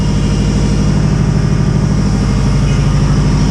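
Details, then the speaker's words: Subaru WRX with hybrid EJ 2.0/2.5 engine, first start after a new map was loaded, cold start at about 12-13 AFR: steady low rumbling idle with an even beat, no knocking, ticking or leaks; healthy cold idle. "bro no crazy noises no crazy leaks"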